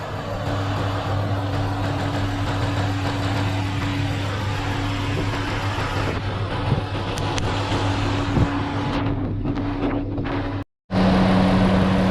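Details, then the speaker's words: After replacing the suspected faulty five-pin cooling fan relay, the electric fan motor runs with a steady low whir over an even idle, at constant pitch; normal cooling fan operation. "so it is now working as you can see guys i can hear the sound from the fan fun motor is working"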